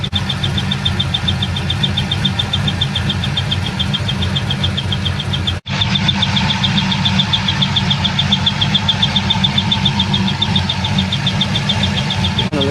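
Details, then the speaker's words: Car idling after the shifter broke and was fixed: regular high chirp about twice a second over the idle. The squeak seems to stop when the belt stops, and the owner hopes it is a belt or pulley; the belt was already replaced once. Not confirmed. "looks like the squeak noise does stop about when the belt stops so that will be fantastic if it is just like a belt or a pulley"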